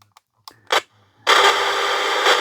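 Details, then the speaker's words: Battery-powered AM/FM/TV radio: hiss with scratchy bursts and crackle as the volume knob moves; dirty volume control, deoxidiser spray planned to clear the crackle. "So it works, but again, the volume's very crackly."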